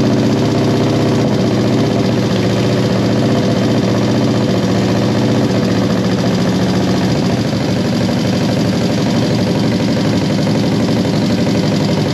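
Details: 1973 Honda CB350G twin freshly fitted with Mikuni VM28 carbs: settles into a steady, even idle with firm low thrum, no misfires or knocks; sounds healthy, minor tweaking still planned.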